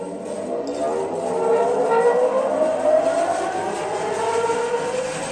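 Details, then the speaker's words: Restored 32-inch Maschinenbau Scholz bandsaw (about 900 kg cast iron), slowed to about 3,600–3,700 surface feet per minute; smooth, steady mid-pitched hum climbing and settling with no knocks or rubbing, running evenly and healthy. "It was running smoothly as it runs now, but now I have slowed it down to about 3,600 or 700 surface feet per minute, and I'm much more satisfied with performance of it."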